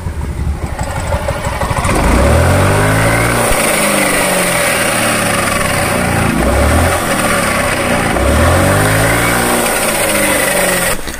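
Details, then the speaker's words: Yamaha Mio M3 scooter, bearing set in final drive reportedly replaced recently: when throttle closes after revving, a harsh rough grinding crack from the CVT/final drive area. Rough final drive gear noise on deceleration. "Nah motor ini tuh ketika digas di kan ketika turun gas itu Kasar banget di area cvt-nya seperti ini"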